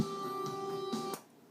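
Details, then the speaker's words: Kinergetics KBA-280 power amplifier fed from a preamp: music playing, then a sharp pop as mute is pressed, followed by silence; it pops on every mute, pause or fast-forward, a muting thump from the amplifier input stage. "Every time you hit the mute button, it pops. If you ever fast forward a song, it pops."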